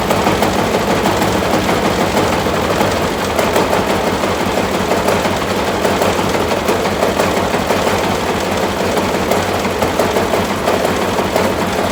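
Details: Massey Ferguson tractor, first start after restoration work, after fighting for spark at the distributor points: rough, uneven banging about three a second over a ragged-running engine, like something beating against something; cause not found.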